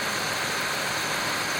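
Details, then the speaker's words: 2001 Pontiac Bonneville, engine running, A/C compressor clutch engaged after repairing a grinding noise: with A/C on the clutch plate and pulley both spin, and it makes essentially no noise. Steady, even engine hum with no grinding or scraping; normal clutch engagement. "with the air on you can see the inside and outside is spinning and with the air off you can see just the outside with the belt is spinning right now you can hear it's really not making any noise which is good"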